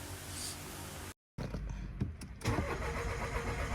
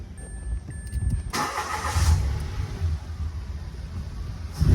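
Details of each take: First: Mitsubishi Mirage G4 cranking long before starting ever since its fuel pump was replaced, yet an immediate restart catches on one click: the starter churns a while before the engine settles to idle; the suspected cause is fuel pressure bleeding back at the pump hose seal. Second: Mitsubishi Mirage G4 after fuel pump replacement, hard starting from leaking fuel pump hose/seal, now repaired: brief crank, then the engine catches at once and settles into a steady idle with a light blip; starts first try.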